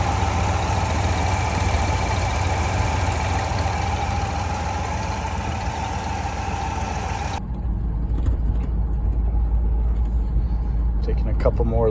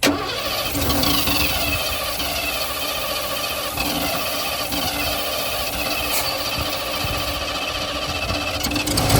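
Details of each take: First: 1988 Ford Bronco, off the road 24 years, running while cooling system is flushed: steady low idle, even and unhurried, no knocks or squeals; temperature holding just past halfway; normal idle. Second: 1988 Ford Bronco sitting about 24 years, spark, air and fuel confirmed: long steady cranking that never catches, then a brief rough burst that dies away; hard start, cause not found.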